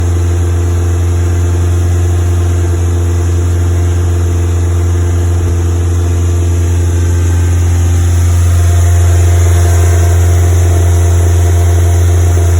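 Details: Westfield FW at fast idle, with high CO emissions: a steady drone with a faint uneven beat. It is still misfiring after new leads were fitted; the cause is not yet found.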